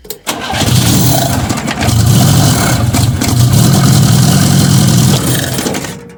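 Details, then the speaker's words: Fiat 125 (Bialbero), first start test of a new CNG injector at the carburettor before final fitting; owner thinks it is short of gas, needs regulation. Engine catches and revs but beat is ragged with uneven pulses and stumbles. Misfire. "Bueno, empieza a dar marcha, pero fallando. Aún así creo que ya es suficiente como para animarme, porque todo esto ya es regulación."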